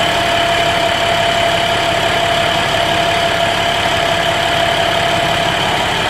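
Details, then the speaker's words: 2011 International DT MaxxForce diesel in a bus, 83,000 km, freshly in-frame rebuilt (pistons, liners, rings, bearings, turbos, EGR cooler) after no compression and blow-by: steady, even clatter at smooth idle, no misses or knocks; normal diesel idle. "But it starts good, it runs smoothly."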